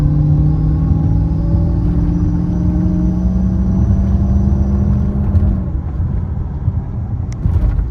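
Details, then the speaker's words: Dodge Charger R/T 5.7 with a 3.0 Whipple supercharger, heard from inside the car during tuning: a low rumble under a clear whine and a thin whistle that climb with revs as it pulls; normal supercharger whine. "I don't know if you can hear that, but it's whistling and whining, which is fucking awesome."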